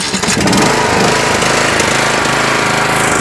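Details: Yardworks 42-inch 155 series riding mower after repair: a bad battery positive connection and ground were fixed, the battery charged, and the fuel filter, air filter and spark plugs replaced. The engine catches and runs steadily and evenly with no misses.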